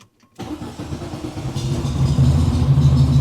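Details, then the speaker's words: 1970 VW, 1915cc flat-four with newly installed dual 40 carburetors, after fueling troubles: starts right away and settles into a brisk, even idle set slightly high; the idle is to be lowered. "one of them just lower the idle just a bit uh she is she is a little high uh you can probably hear it in the audio but uh idle drop"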